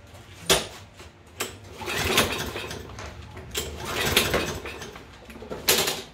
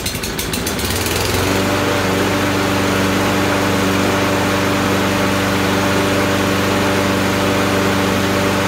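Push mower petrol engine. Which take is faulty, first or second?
first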